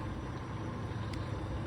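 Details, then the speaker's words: Toyota Avalon 3.0 V6 at idle: low smooth quiet engine hum, no ticking or exhaust-manifold leak noise; normal. "but you can hear right now like you can hear the motor nice and quiet"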